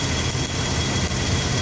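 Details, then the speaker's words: Engine at unstable idle with intermittent cylinder misfire: faint, irregular sharp ticks over the rumble as spark jumps from a faulty spark plug wire, visible in the dark; wire had already been replaced once. "If you hear the ticking noise, you only have to do that. It has to be dark, and you will see the spark."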